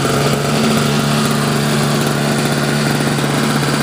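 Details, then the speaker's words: Mid-1990s Sears Craftsman single-stage snowblower, Tecumseh Snow King two-stroke on 40:1 mix, non-adjustable carb cleaned and rebuilt, choke fully off: a fast, buzzy, slightly unsteady run. It runs extremely lean, so half choke is advised for the first 2–3 minutes of warm-up. "because this one right here, it has a non-adjustable style carburetor, and you have to do that because it runs extremely lean out there, to say the least, out there for that."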